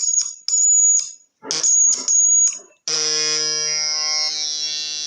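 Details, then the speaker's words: Two-transistor (BJT) oscillator with the capacitor swapped for a much smaller one, believed to be 22 nF, driving a small low-impedance speaker. Short high-pitched beeps, then a steady shrill tone; working, with the pitch sounding high because the speaker's impedance is too low. "So there we go. Initially the frequency sounded a bit high because the impedance of the speaker is a bit too low. You have a bigger speaker you get much better results."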